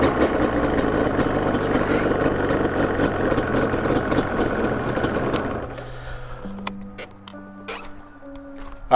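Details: 2005 Yamaha Banshee two-stroke twin after carb syncing with a flow meter, reassembled and kick-started on a cold evening: crisp, even revs for about five seconds that rise and fall cleanly, then settle; the carbs sound well balanced, normal revving.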